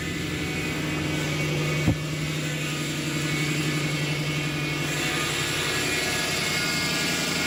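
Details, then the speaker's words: Lexus LS400 after a second ECU repair (capacitors replaced, then a further fault fixed): it catches cleanly after a short crank and settles into a steady, even idle with no stumbles or misses, while warming up. "now the car's been running for five minutes it's idling down to its low idle it's coming up the temperature and you can hear nothing weird and see nothing out of the ordinary"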